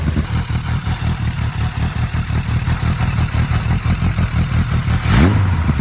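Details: 1980 Kawasaki KZ1000G (Z1 Classic) motorcycle during restoration: uneven, lumpy low putter at idle with irregular firing and a brief throttle blip; it idles poorly and dies, cause undetermined after fixing a lean air leak that caused high revving.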